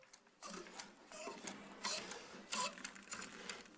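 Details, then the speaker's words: Mercedes-Benz OM442 V8 diesel on a table being hand-primed with clean diesel; light uneven clicks with each pump stroke as the check valve seats, about 1.5–2 atmospheres of pre-pressure built and pumping gets harder; normal priming. "And now we can hear the characteristic sound of the check valve. This means that preliminary pressure has built up in the fuel pump about 1 and a half to two atmospheres."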